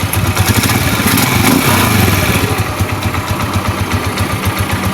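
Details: Rusi Macho TC150 single-cylinder motorcycle warmed up after its first tune-up: steady, even thump around four per second with no knocks or stumbles; healthy, well-tuned idle.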